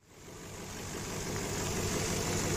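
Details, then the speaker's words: Warm Infiniti QX56 idling after its belt tensioner was replaced to cure a scary metallic knock. Even, smooth idle with a soft steady hiss from the gas injectors, no knocking or ticking. The knock is gone. "всё звуков нету а он такой металлический страшный звук был конечно сразу работают газовые форсунки поэтому шелестит машина была прогрета"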